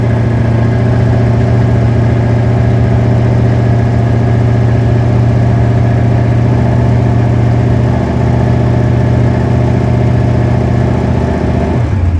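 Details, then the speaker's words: Plymouth V8 ("princess") starting right up despite a suspected weak battery: deep, even burble holding steady with no knocks or misses, then a short throttle blip; runs healthy, normal idle. "she oh man car sounds good"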